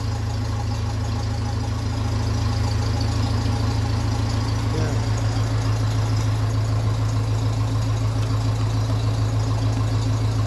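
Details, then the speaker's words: 1957 Ferguson 35 TVO tractor engine, steady even low-pitched idle at about two beats a second, no knocks, ticks or exhaust puffing; sounds healthy. "will say why be happy enough with that now definitely sounds nice"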